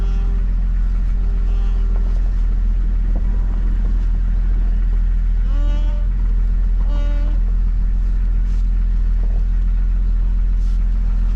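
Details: 1997 Jeep Cherokee XJ 4.0 inline-six after radiator and power steering replacement, wheel turned to bleed the pump: steady low idle hum with no squeal or whine from the steering pump, smooth even running, brief background chirps; normal idle.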